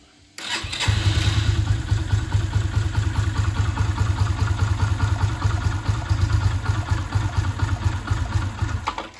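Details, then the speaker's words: Orcal Sirio 125 motorcycle (Yamaha YBR-design single under licence) started on electric starter before maintenance: lumpy, uneven low idle wanders and fades, then stalls; valve clearance adjustment planned, cause not confirmed. "ralentis qui fait la gueule voilà et elle vient de caler"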